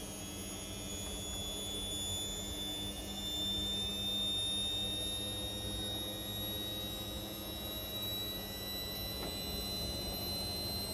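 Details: Indesit Innex XWSC61252 washing machine, previously not draining, test run after filter cleaned: quiet, steady hum with a faint even whine holding pitch, no scraping or thumping; drum spinning normally, speed dipped on high-speed motor coil.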